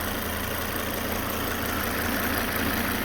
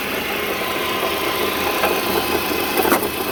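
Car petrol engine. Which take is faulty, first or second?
second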